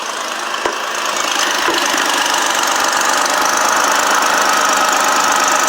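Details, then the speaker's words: 2006 Dodge Magnum 3.5 at idle before repair: sharp, regular ticking about three to four per second over a steady hiss, condensation visible escaping; loose, leaking exhaust manifold, to be removed and welded. "Here's of course, the before. You can see some of the condensation coming out that leak there. The exhaust manifold is loose."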